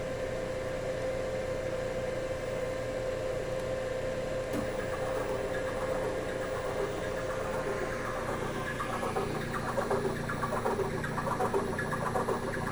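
Steady, even motor hum with a constant mid tone and no grinding or clicking; the servo drive runs normally.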